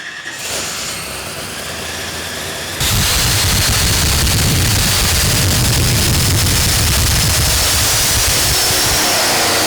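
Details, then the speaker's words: Big-inch Ford Windsor with a Vortech V-7 YSI blower on a smaller 28-tooth pulley, C-16 race fuel, plugs gapped 0.018 in. Pulls hard to high revs with a loud, harsh roar. Acts like a miss at the top; cause unknown. "at the top of the pull the ford was acting like it picked up a miss and when running a few checks and trying to tune it out on the ecu"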